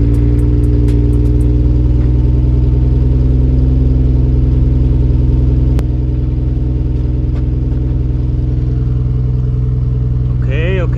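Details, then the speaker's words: Nissan Skyline R32 GTR, first cold start after installing a Mines equal-length front pipe: lumpy, loud idle with a steady low drone and faint puffing. Owner suspects a small exhaust leak underneath because the pipes don't line up. "not bad i might have a little bit of a exhaust leak on the underside but that's because those pipes really don't line up"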